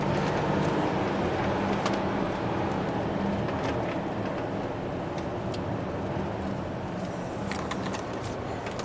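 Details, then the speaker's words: 2014 Audi Q7 TDI turbo diesel on air suspension, about 180,000 miles, cruising after intake-valley reseal for a coolant leak: steady, even road and engine hum, quiet, no knocks, clunks or whines; runs smooth with plenty of torque. "I mean, you're floating on basically a pillow of air, which is nice. Nice and quiet. Plenty of torque."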